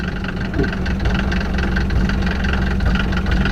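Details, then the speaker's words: Diesel Mercedes, just straight-piped and burning a lot of oil: a loud open-pipe idle with a deep, uneven thrum and irregular pulses; rough idle. "says I have to be go die in the middle of probably it's idols really rough"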